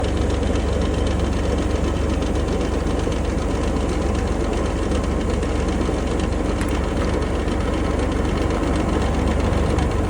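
Steady fast rattle riding over a low idle rumble, about three per second, never easing: a rattle at idle, source not pinned down.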